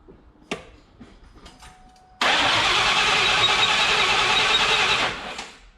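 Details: 1999 Mustang GT with Nemak, first start-up, throttle held wide open so the PCM cuts injectors: steady starter whir about three seconds without firing, then winds down; dry cranking to build oil pressure.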